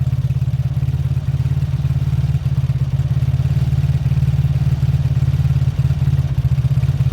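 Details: Beaten-up old Lexmoto single-cylinder motorcycle with many parts missing, after carb spray clean, warm-up idle for oil circulation: low even putter about three and a half beats a second, no knocks; normal healthy idle.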